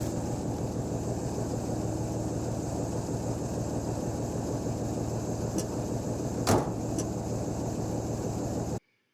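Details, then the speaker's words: REO M-35 truck recorded a year or two before its head gasket failure, as a normal reference. A steady, constant, throaty idle with an even beat and a light clacking from the upper end shows a healthy engine. "This is how the truck should normally sound when everything is working properly. You can hear the idle. It's constant. It has kind of a throaty sound, but you can also hear the upper end doing a little bit of clacking."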